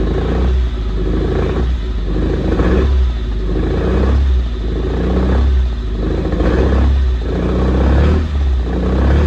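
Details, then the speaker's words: 1974 Alfa Romeo GTV 2000, built 2.0L with dual Dellorto carbs, long sitting, first start on real fuel: revs rise and sag roughly every second, never holding idle; owner suspects carbs full of junk. "She runs, but she doesn't idle, and if she can't idle, that means we can't drive her."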